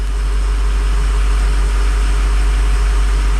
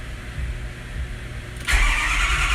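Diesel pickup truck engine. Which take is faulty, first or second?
second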